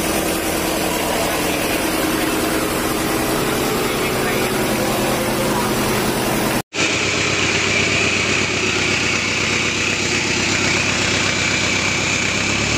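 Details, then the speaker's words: Mitsubishi Strada Triton 4D56T turbo diesel, rebuilt after overheating seized and scored the liners; steady smooth idle with light turbo whistle and no leak hiss or puffing once the intake manifold hose was temporarily fitted so the turbo builds pressure; normal idle. "ini suaranya Udah halus karena selang dari intake manifold tubuhnya udah kita pasang meskipun untuk sementara biar turbonya menekan dan suaranya jadi halus"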